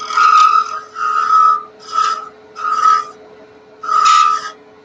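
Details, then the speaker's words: Wood lathe turning thin work: short high-pitched squeals in bursts as the thin workpiece flexes and the gouge comes off the bevel; the fix is switching to a smaller 3/8 detail gouge for the last cuts. "start to hear that little high-pitched squeaky sound that means it's sort of flexing"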